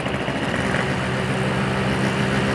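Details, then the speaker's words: Two-stroke on Axson 2T oil and Pertalite fuel, with standard carb and jets, Crun aftermarket block, FIM standard piston and Gaspoll CDI: a steady, raspy drone under way with a coarse, buzzy edge, running rough. Owner plans to open the head. "tadi gua gak nyaman banget ya dengar suara mesinnya nih pakai Selan standar nih suaranya Kasar banget"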